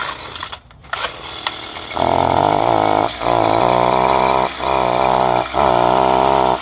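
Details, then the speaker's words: Two-stroke string trimmer that keeps stalling: buzz sags and recovers about once a second as if choking for air; exhaust blocked by a clogged spark arrestor screen. "So like you're stalling or something like that, guys. So I'm gonna show you a way to fix that."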